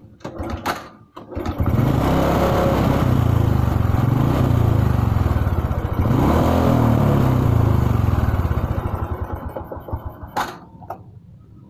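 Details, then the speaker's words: Honda Supra 125 with a carburetor fault: lumpy, uneven idle around three to four beats a second that sags and dies; it won't hold idle and always stalls when throttled; cause is a clogged carburetor jet. "ini penyakitnya adalah tidak bisa tasoner, bila digas selalu mati."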